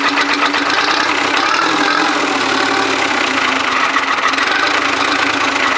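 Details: Allis Chalmers bulldozer Detroit Diesel two-stroke, first start after years of sitting: steady, even diesel clatter with a raspy two-stroke buzz and no misses or slowdowns; normal running.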